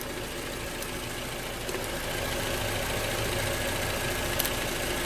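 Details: 2011 Toyota RAV4 idling after replacing bad alternator and belt, charging at 13.6 volts; steady even idle with soft regular pulse, no knocks, squeals or belt chirp; normal idle after repair.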